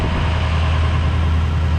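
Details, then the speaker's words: 2005 Ford F-350 King Ranch dually, 6.0 Powerstroke diesel, factory high idle enabled by putting 12 V to the orange wire: a steady, even diesel drone held at about 1200 rpm, with no hunting, misses or knocks. "can you hear the truck idling up it's up about I don't know 1200 or so"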